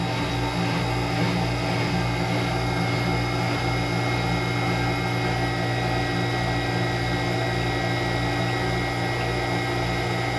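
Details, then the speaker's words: Manitowoc ice machine starting harvest/defrost: steady low hum with even pulsing drone as the air pump works normally; discharge line showing plenty of heat. "All right, here we go. Let's see if this thing will defrost. Hear the air pump working."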